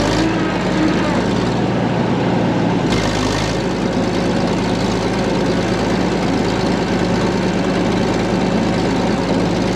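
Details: Late-1940s/early-1950s Caterpillar D6 cable dozer, a barn find revived after years sitting: the big diesel idles steadily and evenly with a firm deep beat underneath, running clean. Normal diesel idle.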